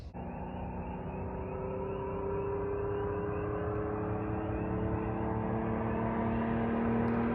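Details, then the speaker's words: Jeep Wrangler Rubicon 4.0L inline-six after top-end rebuild with new head gasket, manifolds, injectors, fuel rail, fan and Y-pipe, first start: smooth, even, deep, loud exhaust drone rising slightly, no knocks or misses; healthy engine. "so we're gonna fire it up here in a second after we check everything and uh it's gonna be loud but that's how we like it"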